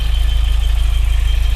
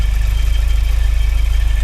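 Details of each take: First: Car at idle just after start, charger showing 14.07 V, heard through mechanic's stethoscope on water pump: only steady low engine pulse, no whine or grinding; water pump quiet, while squeak traced to suspected alternator bearing. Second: Car at idle just after starting, charging 14.07 V, checked with stethoscope: steady high squeal over a pulsing idle, water pump fairly quiet, very loud at the alternator; suspected worn alternator bearing.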